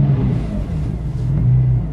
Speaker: The idle, as you can see, is wandering a lot. We've noticed that this car, the idle wanders once it's warmed up and you restart it.